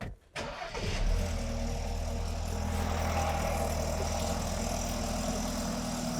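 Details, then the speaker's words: BMW N20 engine after Valvetronic eccentric shaft actuator replacement: cranks briefly, catches cleanly and settles into a steady, even idle with a throttle blip, no stumble or misfire; sounds healthy. "so great news it started and it runs and there's no fuel leaks"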